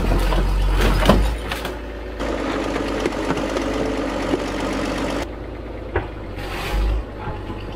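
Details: Abandoned TD9 bulldozer diesel after long overdue service and repairs, test run checking for leaks: deep steady rumble with even beat and surrounding clatter, no knocking; engine running normally.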